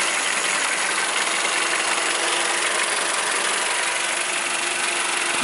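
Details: Mercedes M102 engine after replacing the faulty belt tensioner roller that caused the noise; steady, even idle with no squeal, chirp or rattle from the belt drive; noise gone, smooth healthy idle.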